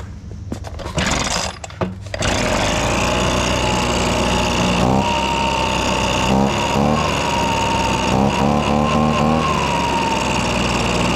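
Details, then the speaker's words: Abandoned two-stroke leaf blower after freeing a stuck throttle that held it slightly open: after a couple of rough blips it settles into a steady, even high-pitched drone, running normally and much better than at first. "it's way better well now that we know it runs and it runs way better now when it first started it was not running good at all"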